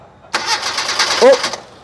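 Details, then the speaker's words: Proton Wira no-start: about a second of starter cranking that never catches; the test light on the distributor supply goes out while cranking, so the ignition switch is cutting power and no spark reaches the plugs. "Bermakna bila kita start, dia tak keluarkan lampu. Bermakna tak mungkin distributor ni mengeluarkan api dan terus pergi ke kabel plug dan terus"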